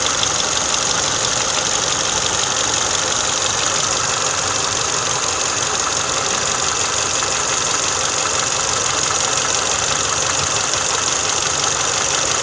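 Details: Idle after an oil change to MOTUL 5W30, valve tapping gone: even, steady idle with a smooth hiss and no distinct tapping from the valve cover; top end quiet, normal idle.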